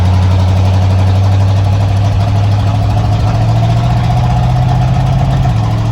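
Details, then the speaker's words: 1987 Ford Bronco XLT, cammed 351W, Holley 4-barrel double pumper, headers into straight-piped true duals with no mufflers, first start after sitting all winter: deep, loud idle with an uneven, lumpy beat from a cylinder misfiring, seeming to clear up as it runs. "talk about misfires Eddie did not like hibernating for winter I could tell you that right now"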